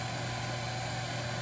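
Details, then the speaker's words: Lathe drilling a bass guitar knob blank with a 15/64 drill bit from the tailstock chuck to about half an inch depth at about 600 rpm: steady low motor hum with light even cutting hiss, no chatter or squeal; normal drilling. "there's a five six or I'm sorry 1564 drill bit and that is cutting just swell"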